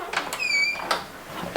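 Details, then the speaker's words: Squeaky door hinge: a thin, high squeal of about a third of a second as the door is opened and closed to locate the affected hinge, with soft handling clicks, before lubricating it with WD-40. "There it is. So you find the affected area."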